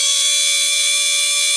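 A loud, steady high-pitched whine holds at a constant pitch with no grinding or stutter; the stepper is running normally.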